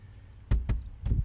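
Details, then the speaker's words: Knuckle taps on the reinstalled door panel of a 10th gen Honda Civic Si give short, dull, solid thuds with no buzz or rattle, after fixing aftermarket speaker wiring that caused vibrations; door now dead and quiet. "hey door's dead fantastic"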